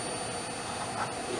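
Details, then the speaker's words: Yamaha SY77 synthesizer powered on 5V with its old LCD unplugged, so the pitch differs somewhat; the old LCD inverter circuit makes the outputs noisy. Thin, steady, very high-pitched whine over faint hiss, to be fixed by an LCD swap and lower voltage. LCD backlight inverter whine. "It doesn't have an LCD hooked up to it, so the pitch is a little different, but there's our noise that we're trying to eliminate."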